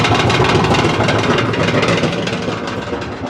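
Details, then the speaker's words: LG dryer running a drying cycle makes a loud rough rumbling clatter pulsing about three times a second, from a worn drum roller that is then replaced. "I would say that we have a bad roller."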